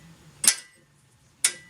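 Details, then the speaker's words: Kubota B3030 tractor diesel, cranking during fuel bleeding after a fuel filter was cleaned: two crisp clicks about a second apart on a quiet background as the fuel shutoff solenoid gets voltage and pulls in; solenoid clicking normally. "so you can verify that the fuel solenoid is at least getting voltage and you can actually feel it clunk so you know it should be opening fine"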